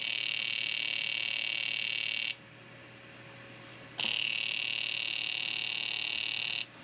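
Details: Fuel injector tester repaired after a broken circuit trace, reassembled and pulsing an injector: high, buzzing chatter in even bursts with clean gaps between; injector firing normally, tester working after repair.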